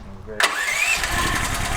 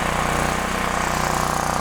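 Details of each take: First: DuroMax Tri-Fuel XP13000HXT generator on gasoline, choke on, water found in fuel: starter pull then brief ragged firing that won't settle; runs on starter fluid and propane, carburetor jet restriction suspected, no-start on gasoline. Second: DuroMax Tri-Fuel XP13000HXT generator after realigning the fuel selector micro switch: engine catches and settles into steady, even chug with no misses or hunting; normal running.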